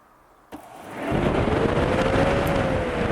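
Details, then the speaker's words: Newly installed upgraded electric cooling fan on a 1962 Jeep Willys, first test run with no radiator fitted: spins up in about half a second to a strong steady whir with an even tone, no scraping or wobble; very powerful fan working normally. "Credo! Isso que é ventoinha! Não é apelido. Que monstruosidade, meu Deus do céu."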